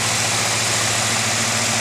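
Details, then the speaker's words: 1979 Oldsmobile 403 V8 from a '79 Trans Am idling on a homemade engine run stand: even idle with a steady low beat under heavy hiss, nothing knocking or missing; not overheating, timing may need adjusting; normal idle. "front stand is just sitting there doing nothing all right it's not overheating looking good I might have to mess with the timing a little bit"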